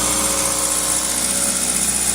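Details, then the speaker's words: 2000 Toyota Celica GTS 2ZZ warm at 90°C coolant, throttle cable disconnected, throttle position 12%, IAC duty 38.7%: fast, steady, high-pitched idle at 1800 rpm. Idle is too high; owner suspects extra air via the idle air control valve. "you can see the engine is revving pretty high no throttle the throttle cable is disconnected"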